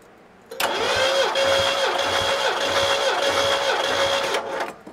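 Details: Abandoned 1972 Ford Galaxie 500 station wagon, 400 V8 parked since 1998, cranking with plugs out for compression test: fast, fairly even churn about 200 beats a minute; readings about 120 to just under 150 psi, no compression fault.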